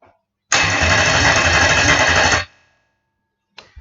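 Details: Toyota 1UZ-FE V8 conversion on a Spitronics ECU, cranked after TPS calibration to check for an RPM signal: about two seconds of loud, even starter cranking with a steady chug and no grinding or slipping; normal cranking.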